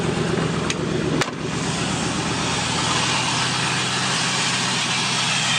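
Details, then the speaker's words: 5.3 LS V8 with over 200,000 miles in a 1967 Chevrolet Caprice, newly fitted Holley Terminator X: steady, even air hiss through the throttle body over a smooth idle, no knocks or misses; healthy, normal intake hiss. "that hissing sound is the air being sucked through the throttle body, but it's healthy, and that motor has more than 200,000 miles on it."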